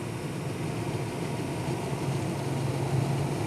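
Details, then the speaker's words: 1990s Chevy/GMC diesel truck after replacing the blend/recirculation door actuator (part 16149192) that caused dash clicking; steady diesel idle, no clicking or grinding as recirculation switches. "but now if we keep on here as you can hear there's no longer any weird noises coming from that area as we switch"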